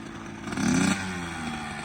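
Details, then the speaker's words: 2004 Kawasaki KX85 two-stroke, stock bore, after top-end rebuild, on a ride: short crisp rev climbing cleanly into the power band and dropping back without rattle or misfire; sounds healthy, though a worn wheel bearing adds rolling resistance. "once like I pick the, like it gets to the power band, it just puts and goes as you heard right there. It sounds good."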